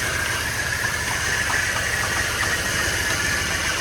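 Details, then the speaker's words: Ford BF XR6 Barra six started after thermostat housing reinstalled, coolant leak stopped; loud uneven hunting, stumbling idle with a hiss on top because the MAP sensor and throttle body were left unplugged. "And the leak has stopped. but we've got a rough idle. Oh, map sensor's not plugged in. The throttle body's not plugged in."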